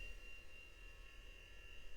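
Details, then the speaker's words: Compaq Presario 4240ES desktop (built-in JBL speakers) after cleaning and power-supply check, first power-on test: thin steady high whine over low uneven rumble as the large old hard drive struggles to spin up; machine appears stuck, reboots; DVD drive also making strange sounds. "Whoa, that was a weird sound. Yeah, Bigfoot's not healthy sounding."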